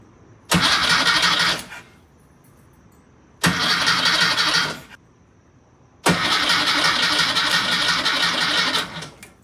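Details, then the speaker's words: Freshly rebuilt VW Type 1 Karmann Ghia engine, first start attempt: three bursts of steady cranking that never catch because the coil pack feed was not hooked up; crank, no start, no spark. "yeah doesn't sound like you have SP y forgot to hook up the coil pack that's why it didn't sound like it was having spark"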